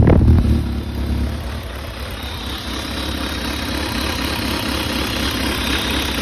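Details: Kawasaki ZRX1200R with exhaust outlet blocked by a rag to check for engine noise: brief blip then steady, even muffled idle, no ticking, knocking or rattle; normal idle.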